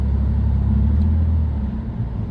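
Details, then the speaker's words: BMW 328i (2.8) test drive after replacing a failed drop link that caused a wheel grind: steady low engine and road rumble with no grinding. Pull-away is sluggish, brakes possibly sticking slightly after sitting, and the ABS sensor rubs a little. "It's really sluggish to pull away, but I suppose I barely got me foot in the throttle. Like, some of the brakes might be sticking a bit. There's no grinding now."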